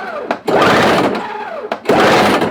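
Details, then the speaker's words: Toro CCR 1000 two-stroke snow thrower with engine swapped from old Snapper, cold start, ignition on, primed, little fuel: two second-long starter bursts, no firing; cranks but won't start. "Nothing yet. Alright, so we got nothing going on. Make sure we got fuel going in it."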